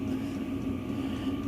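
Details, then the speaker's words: Chinese diesel air heater installed in a van, throttled down at about 16 °C cabin temperature: smooth, even fan whir over a constant low hum with a couple of fuel-pump ticks; runs normally at low output. "you'll hear is the fan blow a couple little ticks for the fuel pump okay so this is what she sounds like we're just kind of idle waiting for the temperature to drop"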